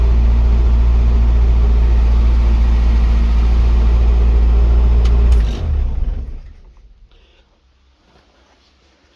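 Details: Morris Minor Traveller after refitting the carb, coolant pipes, spark plugs and HT leads while chasing a misfire: deep, even low rumble with a steady beat for about five seconds before shutdown. It runs smoothly with no misfire.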